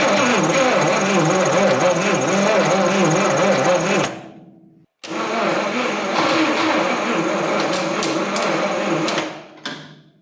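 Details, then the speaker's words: 1959 Studebaker Lark, 259 V8, 12-volt system, sat 36 years: two long cranking bursts with a sluggish chug about two beats a second and a thin squeak; it turns over slowly. Owner suspects a dry starter needing lubrication. "the starter this thing is turning over really slow and I don't know if that's just like the nature of these old cars but it is a 12 volt system so it shouldn't be turning too slow and you can hear right turn this thing over it's pretty squeaky so I've been thinking it's pretty dry in there"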